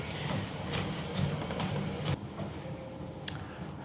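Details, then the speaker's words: Treadmill belt running at raised speed after silicone lubrication for its grabbing and stuttering: a low steady drone with a soft thump about twice a second as the belt passes, and no stutter or squeal. Normal running. "All right, I'm gonna crank it up a little bit and just let the belt itself distribute the silicone evenly throughout the rest of the belt."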